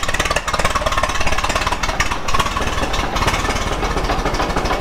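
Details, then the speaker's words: Ford Model T petrol engine, ignition trouble, running with a fast, hard, regular knock under its beat; owner hears a rod knock. "yeah, she's knocking pretty good."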